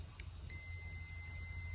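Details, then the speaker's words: Multimeter continuity test on a brand-new fuel level sender for an '84 Bronco, which pegs the gauge once installed: one terminal shows nothing, the other gives a steady unbroken high beep; terminal shorted to ground. "Stick one in here, stick one here. Nothing. Stick one here. Ground it out."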